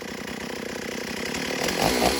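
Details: Stihl AV 028 Woodboss chainsaw after new fuel line and filter fixed lean bogging, cutting wood without air filter: high even two-stroke buzz builds smoothly into the cut and holds revs without bogging; healthy chainsaw cutting.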